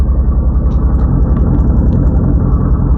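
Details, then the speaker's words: Renault Clio 182 at idle, about 139,000 miles, fan off: loud deep engine with a coarse rhythmic chuffing rattle about twice a second; big exhaust leak suspected, battery light on, slightly hesitant. "let's turn the whole fan off no one must hear fan noise [Music] oh we've got a very big exhaust leak"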